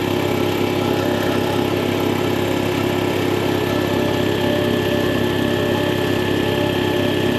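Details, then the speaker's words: Air compressor after replacing the leaking check valve: a steady motor drone with a regular chug about three per second and no hiss; no more air leaking from the unloader. "and if everything was installed correctly and your check valve was not defective upon installation you'll find that you have no more air leaks coming out of your unloader"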